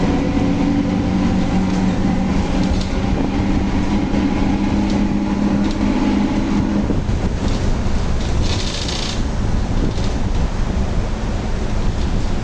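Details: Volkswagen Torino S 17-230 OD Euro V, driving: over the road and engine noise, a steady low drone holds and then drops away; loud howling differential.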